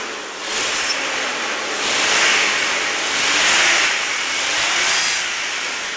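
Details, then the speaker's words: 1996 Jeep Grand Cherokee 4x4 with 4.0L straight-six and new battery, revved while parked: engine spins up smoothly in a few blips and settles back, no knocking or rattles; runs clean, sounds like new. "i have heard these things when they were brand new i was in the car business and that's exactly what they sounded like brand new so let me tell you something this jeep does run fantastic"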